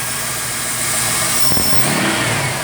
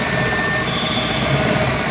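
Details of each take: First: Ford MPFI intake after sharp edges in the throttle body, IAC and intake were smoothed and a 1/8" hole was drilled in the throttle plate. Smooth, even idle with one quick rev blip, no whistle or hum: resonance fixed. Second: Ford throttle body with IAC on a recently installed MPFI system, before repair. A steady high whistle rides over a constant idle hum, from air blowing past sharp edges in the throttle body/IAC intake path. The intake also resonates.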